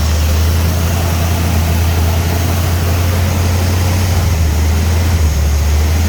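Low, heavy idle that swells and sags in pitch every few seconds instead of holding steady, a surging idle of unknown cause.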